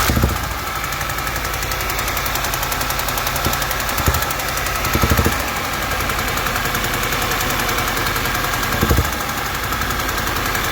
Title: Audi A4 B8 2009 2.0 TFSI Ticking noise